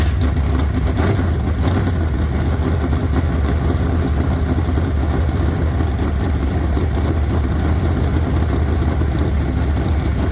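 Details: Fresh 383 V8 for a 1970 Camaro with hydraulic roller cam (294/296 intake, 304/306 exhaust), roller rockers, about 11:1 compression, aluminum heads, 750 dual-pumper carb: deep loping rumble with choppy cam beat, no knocks or ticks; runs strong.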